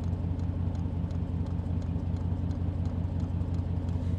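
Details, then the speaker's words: Diesel heater on a Jeep Commander camper build, fuel pump ticking evenly about three per second while priming at startup, about 3 minutes in, truck engine idling deep underneath to keep the battery charged; normal, ticking dies down once heat is steady. "I don't know if you can hear that tick tick tick tick tick noise or you can just hear the badass Muffler of the Jeep Commander you can hear the ticking is a little bit"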